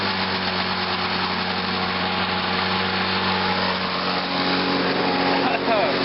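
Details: Lawn-Boy mower with Walbro carburetor just after carburetor cleaning, started on choke in cold weather: high, even buzz with faint unevenness, slight hesitation blamed on the cold; runs perfectly.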